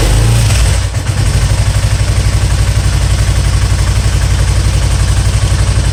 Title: spyder misfiring